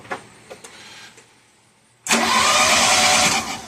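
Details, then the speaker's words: 1985 Shelby Charger at first fire after a new fuel pump, tank, fuel rail, plugs, wires, coil, cap and rotor: faint clicks, then a harsh, ragged roar that never evens out. Ignition timing is off. "Timing's off. Yep. Timing's definitely off."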